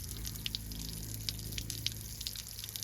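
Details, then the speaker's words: Heartland Trail Runner travel trailer being winterized: quiet steady electric hum of the water pump under splashing and dripping as it sucks air out of the line and draws antifreeze in; pump running normally. "we hear it running. Sucking the air out of the line, sucking some more down in."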